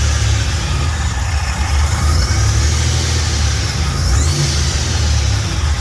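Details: Fully built 3800 V6 race engine on its first start after the build: smooth, steady running with clean throttle blips, firing evenly, no tapping or rattles, no smoke or leaks; normal revving.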